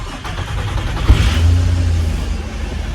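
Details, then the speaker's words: Holden VS Commodore ute, V6, first start in 10 years, after fuel pump, sender, plugs, leads, filter and oil change and coolant top-up: short crank, then it catches into an even, steady idle and runs normally. "And there we have it, she's running. So first time in 10 years, almost said a word I shouldn't."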